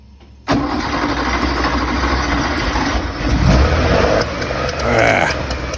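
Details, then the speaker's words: Rough idle on a 1970 Porsche 911 with Zenith 40 tin carburetors, which backfire out of the carbs. Idle circuits were cleaned with the carbs mounted, and points and timing set. The engine runs lumpy with surging, dipping revs. Valves suspected too tight; compression test planned. "still running crappy and we've run out of time I think the valves are too tight"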